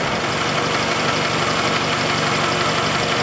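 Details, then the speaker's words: Car with oil found at the bottom mark after a sudden fault on the parkway: light, fairly regular tapping about three a second over a steady idle, growing louder. Ticking at idle from oil starvation damage, possibly a lifter. "it's getting louder you hear that tap tap tap tap tap tap tap tap"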